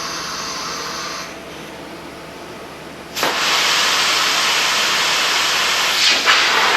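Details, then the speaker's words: Tite-Spot spot welder with compressed air cooling switched on: steady high airy hiss and whistle jumps in and holds even, normal cooling airflow that ventilates the welding smoke. "And you can hear it whistling. Alright? And now, because we have compressed air cooling, we are now in a well-ventilated area."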